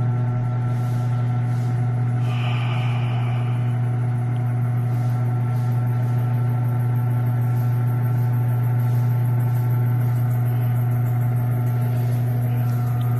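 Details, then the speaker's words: Automatic washing machine after replacing the broken suspension and repairing the rusted body so the tub no longer leans: smooth even low hum through the spin dry with no banging; spins straight through normally after repair. "So yan, okay na. Nakapag-spin dry siya ng diretso, hindi na kumakalabog."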